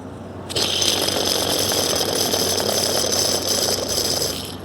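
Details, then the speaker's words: Worn idler pulley bearing on a Jeep Cherokee (Liberty) with the belt off: spun by hand, the pulley gives a dry, gritty rattle that runs on as it slows; the bearing is worn out. It was suspected as the source of a whine on acceleration. "listen to this one yep that does not sound happy at all"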